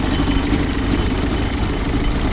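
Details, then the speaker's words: 1952 Willys M38 military Jeep with its L134 flathead four, already warm, at idle near the engine: steady, even low chug with no misses or knocks, sounds pretty good. Normal idle. "you can hear it running here actually sounds see if I can do that with one hand sounds pretty good it's a uh l134"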